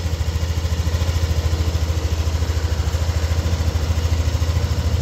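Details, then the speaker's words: Yamaha NMAX V2 engine at warm idle: smooth, steady low thrum with no rattle or squeal. The earlier squeak and whistle are gone, the side-case sound is normal, and the engine now runs as a normal idle. "Mainit na yung makina. So mainit na yung makina nito at wala na kaming naririnig na ingay. So wala na yung kanyang langit-ngit."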